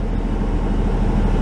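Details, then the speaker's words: 1996 Chevy Tahoe, idle already around 1200 rpm, rpm surges when shifting into gear; just reassembled after throttle body/Idle Air Control work: dense steady low rumble well above normal idle, no dip or hunting, worse than before; IAC or TPS suspected, unconfirmed. "so what happens now how's that it's even worse well that's really interesting how is it possible it got worse"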